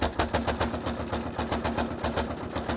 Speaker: It's very noisy. Can you hear it? It's because it's going through about, I don't know, 1, 2, 3, 4 layers of fabric and wadding plus thread that's underneath it. So hence the reason why it's a little bit noisy.